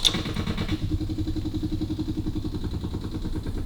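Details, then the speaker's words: 1955 Austin Healey BN2, engine running poorly and far out of tune: steady ticking of the electric fuel pump under a lumpy idle; pump was inaudible the day before, intermittent wiring suspected, not confirmed. "Now, I swear to God, I couldn't hear that fuel pump yesterday. >> Really? >> So, it could be intermittent wiring."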